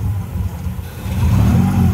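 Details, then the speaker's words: Honda Civic (EK) after new timing belt and tensioner: settles at idle then blips up smoothly with solid low rumble, no knocks or slapping; engine runs healthy. "It doesn't sound like you fucked the engine up."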